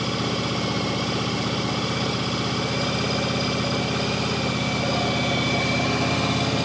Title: Yamaha Virago 1100 start. Knocking sound.